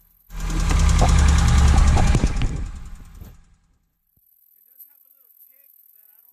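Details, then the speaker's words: 2009 Hyundai Accent, crank-no-start from a timing belt jumped a couple of teeth, first start after retiming with only the timing belt fitted: idles with an even low thrum and a faint regular knock, slight shake; cause unknown. "feels like it has a little bit of a of a shake to it now i mean i don't know where that came from but i mean it's running"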